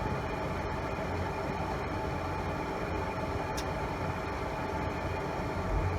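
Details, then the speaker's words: Pentair Mastertemp pool heater with E05 error: steady roar of burner and blower, lit and giving good heat. It cuts off after 10-20 seconds showing E05, an exhaust temperature fault traced to the stack flue sensor. "So there it goes, feeling a good amount of heat coming out. But then after running like this for 10-20 seconds, it's going to cut off and it's going to read E05."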